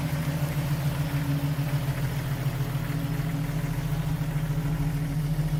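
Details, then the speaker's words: Restored 1995 Jeep Wrangler YJ, 6-cylinder, 111K miles, 5-speed manual, new complete exhaust system, heard from the rear: even, deep idle burble with no ticking or puffing; exhaust sound and leak-free. "Here's a listen from the rear. Exhaust sounds good, no leaks."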